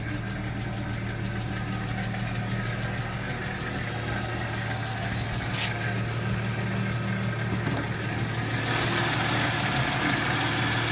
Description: 1995 BMW E36 M3 lifters making loud ticking noise